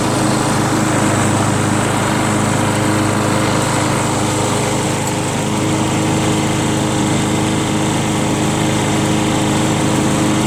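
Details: Free curb-pick John Deere JS63 mower, run to burn the tank dry for storage (about 25 minutes): steady, even buzz at constant speed, no misses, surging or knocks; healthy normal running.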